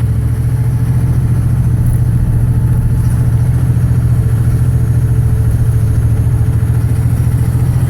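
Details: 2006 Dodge Ram 2500 with a 5.9 24-valve Cummins diesel and bad injectors: deep, loping idle with uneven, lumpy pulses about three or four a second; rough running.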